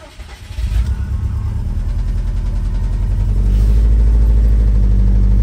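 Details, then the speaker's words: 2011 Subaru STI with supposedly fully forged engine cranks, catches and runs with a deep rapid knock following engine speed; rod knock, teardown found a spun number four rod bearing. "it's got pretty bad rod knock show the video right here well here it goes"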